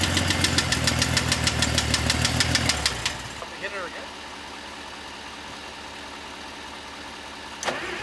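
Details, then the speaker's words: 1960 Bombi tank engine with a Chrysler starter, restarted after ATF was left in the cylinders and the distributor was turned 180 degrees: steady ticking clatter at idle, about three per second, suspected valve knock; clack seemed to fade the longer it ran. "wow oh that's a valve a wee bit of knock in"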